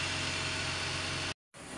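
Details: BMW E46 after replacing the alternator bearing and regulator: steady, even idle with a smooth hum. The earlier droning and rough bearing noise are gone and charging sounds healthy.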